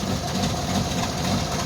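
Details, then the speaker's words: Carbureted Jeep Wrangler YJ in cold weather, still warming up after a cold start, chugging at a low, uneven, lumpy idle. Owner suspects an exhaust leak and says it still runs well; rough cold idle. "She is a shaking and a rocking. I think I got an exhaust leak. I think I got an exhaust leak. Poor old girl. She still runs good, though."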